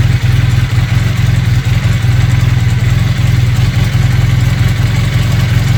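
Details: Honda CB400T Dream twin, just serviced with oil and filter change, idling with two center vacuum gauges fitted: low, lumpy idle with an uneven, loping beat and no steady rhythm; carburettors badly out of sync.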